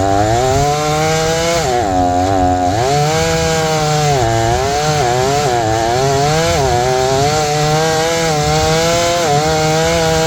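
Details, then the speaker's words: Repaired old Jonsered 630 chainsaw with 30-inch bar and aggressive full-house chain cutting wood: high two-stroke note dips and recovers, holds strong revs; owner suspects clutch-side crankcase seal needs replacing. "I think this was doing pretty good because that's pulling a 30 inch bar with a pretty aggressive chain on it full com Full House chain that's filed pretty aggressive"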